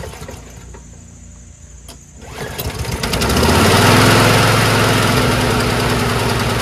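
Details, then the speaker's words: Powersmart curb-find lawnmower with Loncin engine, started likely on choke: catches within a second and settles to a steady, even drone with no misses or surging. Friction-disc and belt drive, propulsion strong even on the lowest speed. "it starts right up sounds good doesn't surge propulsion's very strong"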